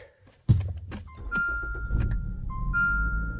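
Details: 2018 Jeep Renegade 2.4 with crank-no-start, TSB-noted water in muffler, after draining water from the muffler: brief crank catches at once into steady low idle under some chimes; engine starts and runs normally.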